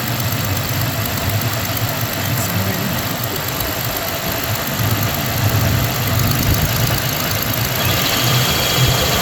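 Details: 1993 Ford Ranger 3.0 V6 idling unevenly with irregular stumble in exhaust beat, rough idle from a weak or dead cylinder; owner suspects cylinder 3, not confirmed.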